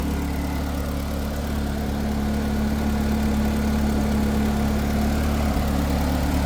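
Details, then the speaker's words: Truck: a smooth, steady low idle with an even pulse and no stumbles or knocks; running pretty good, though an intermittent fault remains. "So I could continue driving it. Don't have to tune it or nothing. But it's running pretty good."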